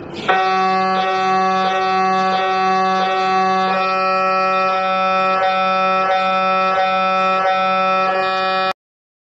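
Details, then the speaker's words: MRI scanner, a tube-like machine with a powerful magnet, running a scan. Its loud, steady buzzing drone with sharp pulses about ninety times a minute is normal operating noise, though it can frighten patients. "ಈ MRI ಮಾಡಿದ sound ಭಾಳ ಹೆದರಿಕೆ ಆಗುತ್ತೆ. ಇದು ಯಾವ ಥರ sound ಮಾಡುತ್ತೆ ನಾನು ತೋರಿಸ್ತೀನಿ ನೋಡಿ, ಕೇಳ್ಬೋದು."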